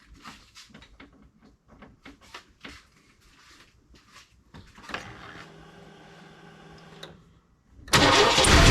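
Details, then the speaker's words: 1998 Chevy work truck with a crank-no-start no-spark issue, first try after a new part: cranking, then the engine briefly catches roughly and fires loudly but was revved too hard; owner worries about oil pressure. "So, I think Jackson got a little too excited there whenever it started, you know, wanting to run, and fed her a few too many beans"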